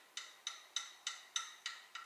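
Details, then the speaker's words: British engine rocker gear rocked by hand: sharp, bright clicks about three times a second, similar to the knock heard with the engine running. A worn or poorly fitting rocker shaft and rockers is suspected. "Just working it by hand, you get a very similar knock to what we heard when the engine was running."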